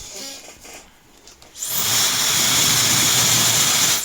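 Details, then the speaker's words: Known-good hair dryer, recorded through a sound probe on an A02 oscilloscope (channel B) watching the 20K–23.1K spectrum band: after a quiet pause the motor whine climbs smoothly from low to full speed, then blows evenly; normal spin-up, unlike the defective unit. "良品它的电机那个声音转速是从低逐渐会拉到高的，有一个升速的过程。"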